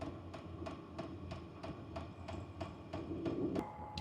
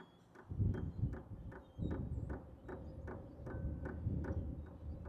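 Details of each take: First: H-Calory diesel heater priming on start-up at level 1: sharp, steady ticks about three a second over a low hum. The ticking slows once running and speeds up at higher heat levels. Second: H-Calory diesel heater with a new replacement dosing pump, priming with the cover off: soft, even ticks about twice a second over a low fan hum. Much quieter than the original pump.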